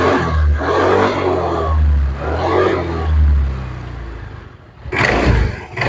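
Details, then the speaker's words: Old Honda Vario 110 carburetted scooter after the CVT brass boss was replaced to cure a clacking on throttle: engine revs and settles in smooth swells with no clacking; belt drive sounds healthy. "engine is very smooth. so there's no clacking clack clack clack sound when you pull it, guys,"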